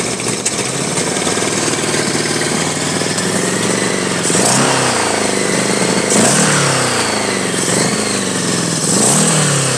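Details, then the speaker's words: 1983 Honda Goldwing Aspencade project engine running for the first time, on full choke with throttle held wide open: uneven, lumpy running with surging revs and a rasping, unsteady beat; rough, needs carburettor tuning and dialing in. "And uh clearly it needs some real tuning and dialing in as much as I can do. I'm going to keep tinkering with it."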